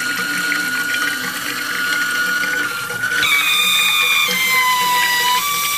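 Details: Mixer tap whistling unbearably over running water: a loud shrill whistle that jumps to a higher pitch, then slowly slides down; the owner questions whether it is a warranty defect.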